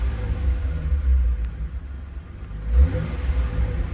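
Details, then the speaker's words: Aftermarket electric exhaust cutout valve on a Mitsubishi 3000GT VR4, recorded from inside the car: with the valve closed the bass is lost and it sounds like barely anything. Deep muffled rumble swelling with a rev. Owner suspects leaks from cheap clamps. "it loses that bass once it closes all the way. And then it sounds like barely anything."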